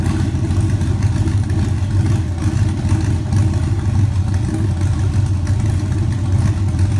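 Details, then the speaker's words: LQ9 Vortec Max V8 with a Stage 1 cam and 317 heads, idling. Deep idle with a slightly uneven choppy beat, mild enough not to need a loose torque converter; otherwise smooth and steady; normal lumpy cam idle. "just enough so you can hear it but not enough to uh screw up your day and have to go with a real loose torque converter"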